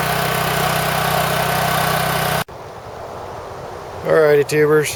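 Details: Champion Power Equipment generator (6,000 W running, 7,000 W peak), sat about 2 years, new battery. It gives an even, steady hum at constant speed before cutting off, running normally and definitely loud.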